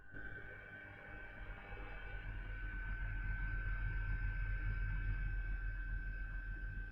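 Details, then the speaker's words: Newly built Ryzen 5 5600X PC in a Zalman Z8 MS case, CPU fans set to full speed: steady rushing hum with a fixed high whistle swelling as the fans spin up. Loud fans; owner unsure if a part is faulty, temperatures good. "so here if I put on the CPU fans I put them on full speed right now"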